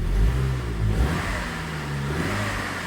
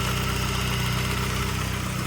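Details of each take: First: 2002 Saab 9-3 SE 2.0t LPT manual: slight throttle blips bring a hollow rising woo-woo whoosh that fades; worn turbo, though it still boosts and drives fine, with smoky startup. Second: 2002 Saab 9-3 SE 2.0t LPT manual with a bad turbo, at idle: smooth steady running with a light, fast, regular ticking from the evap purge valve purging the system, which is normal; no other engine noises.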